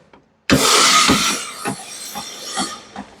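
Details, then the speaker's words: Royal Enfield Super Meteor 650 at 5th paid service: sharp hiss, then light ticks about every half second as the wheel turns, a "kat kat kat" when braking; rear brake disc glazed too smooth, catching pads; disc being rubbed/sanded. "मतलब आप break मारोगे ना तो cut cut cut आवाज कर रहा था"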